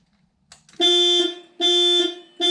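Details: 2000 VW GTI Mk4 with 237,000 miles, turning the key for the first time on the project: loud high tone blaring on and off about every 0.8 seconds as the factory anti-theft alarm trips; it was cleared by unlocking the trunk with the key.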